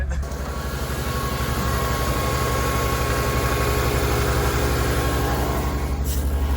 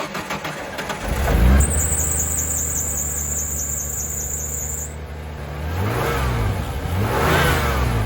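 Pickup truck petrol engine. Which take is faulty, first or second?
first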